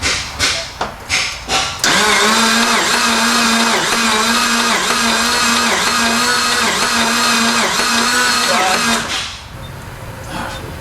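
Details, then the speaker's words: 1992 Dodge Stealth R/T, long-sitting parts car: steady starter cranking for seven seconds, never firing; spark present but no fuel injector pulse. "we got spark we don't have uh pulse fuel injectors are not firing"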